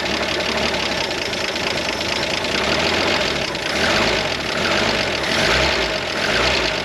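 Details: 1973 Jeep CJ5, 258, sat 16 years, carburetor fed by bypass electric fuel pump: chugs at a fast idle with a rough, tractor-like clatter, slightly uneven; oil pressure rose from 0 to 40, no charging system.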